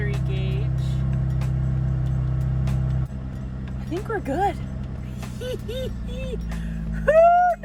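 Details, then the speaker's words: Car that failed to start on first try, with the radio also dead, after battery terminals were reconnected: it starts and holds a smooth, even idle with a steady low hum, no misses or knocks; dog whining nearby. "Keys okay I've got lights we got power and she starts"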